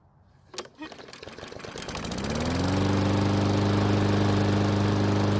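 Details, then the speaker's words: Murray mower stored over winter with old fuel in the tank: cranking and pops, then it catches after a couple of seconds and runs steadily. Owner suspects old gasoline. Hard starting. "well it wouldn't start by itself it needed a little bit of help but once it started it did keep running"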